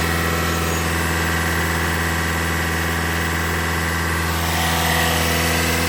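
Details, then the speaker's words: 2021 Toyota Camry Hybrid bleeding air after engine and inverter coolant change at 100,000 miles: even steady idle, low drone with cooling fan rush on its second cycle, no ticking or knocking; normal idle. "Okay, the fan just kicked on for the second time. Wait for that to turn off."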